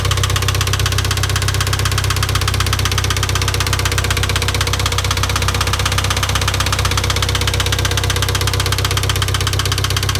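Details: IH 2544 tractor: a steady, sharp knock about four times a second over an even idle; an engine knock whose source is still undetermined.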